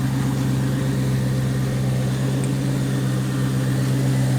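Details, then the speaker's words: 2003 Mustang SVT Cobra (Terminator), supercharged, after new intercooler expansion tank install and refill, intercooler pump running: steady, even low rumble with a smooth idle and no knocks or misses while checked for leaks; normal idle. "So everything seems to be working fine."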